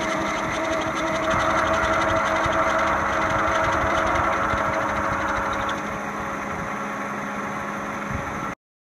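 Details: Toyota Camry four-cylinder at idle: a steady rumble with a rapid, regular shake about four times a second; worn, noisy, shaky harmonic balancer, later replaced.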